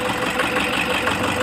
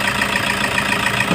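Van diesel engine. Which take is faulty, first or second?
first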